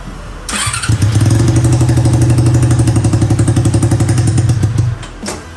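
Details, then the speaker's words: Four-carburettor Honda CB400 engine in a custom off-road golf cart, after carburettor tuning: it catches and runs with an uneven lumpy pulse, revs fully but won't hold idle and dies; owner suspects not all cylinders firing, cause unknown. "ก็มันเบิ้ลได้นะครับมันเบิ้ลได้สุดเสียงเลยแต่ว่ามันเดินเบาไม่ได้ครับ"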